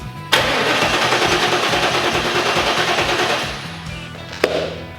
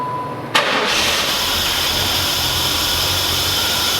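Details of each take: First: 1994 Trans Am (F-body) after replacing ICM and coil pigtails, battery charged: steady starter cranking about three turns a second with no firing; no spark, owner suspects wiring, ultimately traced to a blown ignition fuse. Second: 1994 F-body Trans Am after replacing the ignition control module, coil pigtails and a burned 10 amp underhood ignition fuse: quick crank, clean catch and smooth, even idle; no-start solved, though the coil failure remains uninvestigated.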